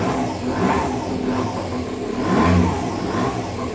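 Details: Aprilia SR50 Factory DiTech two-stroke scooter, 504 km, first start after 15 years stored, fuel pump primed; buzzes steadily and picks up cleanly on throttle blips, running fine with no odd noises.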